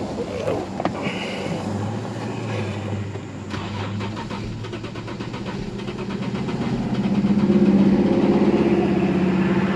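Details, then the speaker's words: 2008 Infiniti G35 coupe with a crank-no-start; the shop had replaced the fuel pump. Cranking has a steady, slightly uneven rhythm that never fires. Scope and compression checks show the engine is out of time. "so this vehicle's at a time which is why it would not start so after reviewing all that you can see that the vehicle is out of time"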